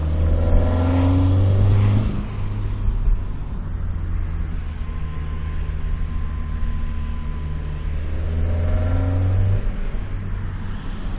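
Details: Toyota 2ZZ petrol engine revving in bursts, adding a rough, strained, weird noise around 2500 rpm, only under heavy throttle.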